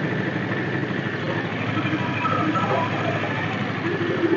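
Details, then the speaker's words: Carbureted Honda Vario scooter at idle: intermittent high mouse-like chirps from the CVT, caused by water entry rusting the roller housing and damaging the rear pulley bearing; CVT seal also leaking oil. "berdecit seperti suara tikus itu bersumber dari bagian CVT"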